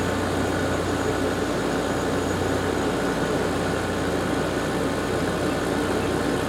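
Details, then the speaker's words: Garage air conditioner at season startup on low fan speed: smooth constant air whoosh over a low motor hum with no rattles or labouring; runs normally after new capacitors were fitted. "sounds fairly happy fan sounds great those new capacitors did the trick"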